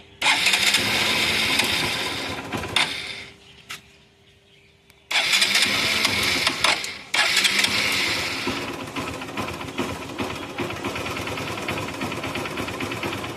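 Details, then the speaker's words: Hero Passion Plus BS6 motorcycle with an oil leak that caused a no-start, after a home fix using the onboard tool kit: the engine catches after a brief stumble and cut-out, then settles into a steady, even idle; now starts normally. "Start ஆயிடுச்சு."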